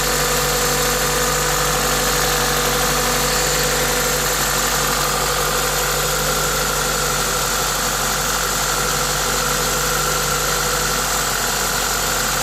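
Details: Toyota 2ZZ-GE engine at idle with an aftermarket induction kit: smooth, even idle with a steady airy hiss from the open intake kit, no ticks or knocks; normal, healthy engine noise.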